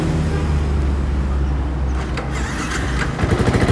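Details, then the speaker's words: Old Yamaha Vixion with idle trouble and a starter problem traced to the starter button, button cleaned/worked; engine catches after cranking and settles into a low steady putter; normal engine start. "ternyata bisa deh nah dan untuk motornya"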